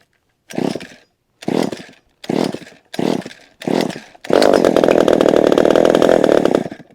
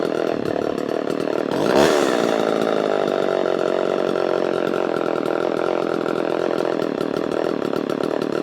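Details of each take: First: Vintage chainsaw with an automatic oiler, started on choke after little use: five short pull-start bursts, then a raspy, steady two-stroke buzz. It runs loud and smoky, and the smoke is easing the longer it runs. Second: Vintage Homelite chainsaw with a thumb-pump oiler: a quick throttle blip, then a steady, even high buzz without sputtering. It runs clean, noticeably cleaner than the other vintage saw.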